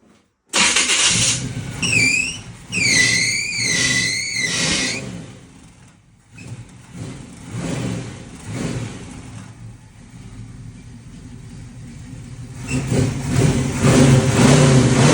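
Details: 1978 Monte Carlo starts up and runs with a high, wavering squeal for a few seconds from a slipping drive belt.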